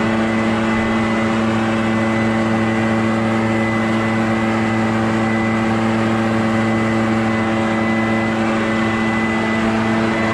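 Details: Barn-find Echo PB650 backpack blower on fresh gas after years stored, clearing a shingle roof: steady high-pitched two-stroke drone with strong even whine, no surging or misfire; normal running under load.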